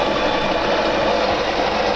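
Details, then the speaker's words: De'Longhi coffee machine after repair for poor grinding and heavy squeaking, test: beans feed through grinder with steady, even hum, no squeak or strain; grinder, brew unit and gearbox running without extraneous noise. "раз проверяем работу кофемолке зерна уходит работа кофемолке ровная заварное устройство и редуктор работают исправно и без посторонних звуков"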